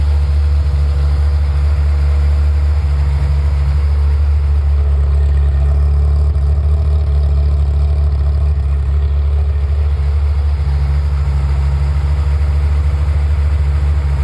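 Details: F355 engine after warm-up, in its normal state: deep, steady idle with an even low rumble and no knocks or misses. It is idling normally.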